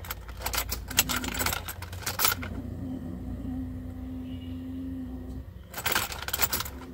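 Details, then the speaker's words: Jaguar Series 3 V12 fed from a temporary tank, priming before first start: a steady low whine for about three seconds over clinking; owner suspects the fuel filter still has dirt in it. Engine later started but ran rough. "i can hear that fuel filter still making a bit of a wine so i think it's stock got um dirt still in"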